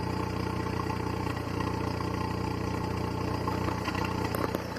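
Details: 2009 VW Gol G5, 30,000 km, at idle: busy, uneven clatter with a rough pulse that wavers, plus jolts and RPM loss. Cause unconfirmed; shops suggested normal, lifters, or a cracked ignition coil and worn throttle body.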